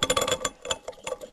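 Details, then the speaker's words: Gas Gas EC250 two-stroke, engine stopped and disassembled, rod rocked sideways by hand: sharp, uneven metallic clicks. The crank, replaced once before, shows excessive side and up-down big-end bearing play, and the engine will likely come out for a rebuild. "Czyli korba niby zmieniona kiedyś, ale chodzi na boki jak... Nie wiem co. I dodatkowo góra-dół też czuję."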